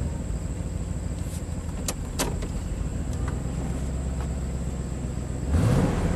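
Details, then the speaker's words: 1998 Chevy 2500 Silverado 5.7L after an injector pressure-drop test showed similar readings across the injectors: the deep idle rumble shakes unevenly, stumbling about four times a second, smooth under load; a cylinder misfiring at idle. "so still got that misfire so under load it's actually pretty smooth but idle man it it really shakes"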